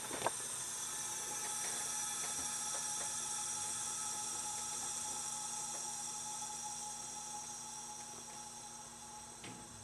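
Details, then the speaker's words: Lincoln A/C after compressor replacement, system evacuated; opening the valve gives a strong high hiss slowly fading over ten seconds as refrigerant rushes in, normal charging; low pressure switch expected to pop and enable the compressor. "we should have all the air out of this thing now so when if I did this right when i crack this open the air should go right into the system"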